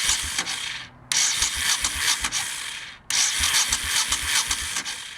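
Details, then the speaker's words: 1989 Honda VT1100C Shadow Spirit cranked with the engine stop switch off: two cranking bursts, each ending in a brief backward whir and clunk as the starter stops, heard around the starter on the left crankcase; cause unknown, owner wonders whether it is the starter. "you can hear it when it turns over but then it sounds like it's going back on itself I have no idea what the heck that is"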